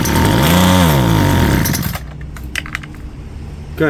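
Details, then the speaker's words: Garbage-found Homelite two-stroke string trimmer, old foul gas replaced with fresh fuel: buzzy pitch climbs about a second, sags, then cuts out and won't hold revs. Likely fuel starvation; needs carb clean, new filter, probably gaskets, and the missing air filter and cover. "So, it looks like the home light's going to be a carb clean, new filter. probably new gaskets and definitely new fuel and probably a new air filter cover"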